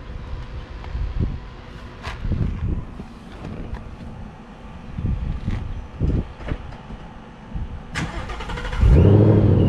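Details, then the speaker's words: 2019 Mustang Bullitt V8 with a Vortech V-3 Si supercharger, cold start: it cranks, catches and holds a slightly high idle, with gear whine audible over the exhaust. Otherwise it sounds healthy. "it's still kind of cold start so it's idling up a little high hell you can hear them heritage gears all the way back here over the exhaust"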